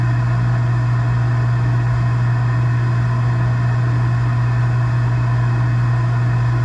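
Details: Gas package unit, newly replaced draft inducer motor (old one was extremely loud, like a lawnmower), during heat call while burner failed to light: smooth constant low hum, even tone, no rattle, scrape or wobble; inducer quiet and healthy.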